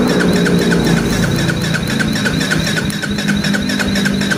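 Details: Yamaha Vega ZR/Jupiter motorcycle that starts on kick but not electric starter: starter cranks in steady pulses about four per second but never catches; weak pulser gives too little spark at electric-start speed, suspected.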